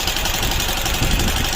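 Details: Harsh, uneven mechanical clatter over the running engine instead of a clean beat; the engine has been run nearly out of oil.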